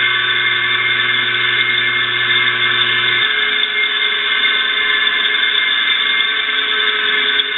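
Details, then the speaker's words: Electric motor rarely run and of unknown oiling history, plugged in again after oiling: a steady high-pitched squeal holds level over the hum; noise seems to come from the bearings, especially the rear one, suspected dry. "yeah a lot of that noise sounds like it's coming from the bearing and the bearing in the rear"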